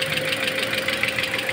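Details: Toyota Altis idling, cooling system being bled of bubbles after AC compressor replacement without coolant refill, fan running: sharp light taps about six or seven a second, knocking came back. Cause not confirmed.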